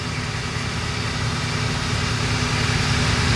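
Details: Volvo 940 turbo wagon after a no-start repair at the fuel pump: steady, even low idle with no knocks, misses or hunting, just a slight rise in level; normal idle.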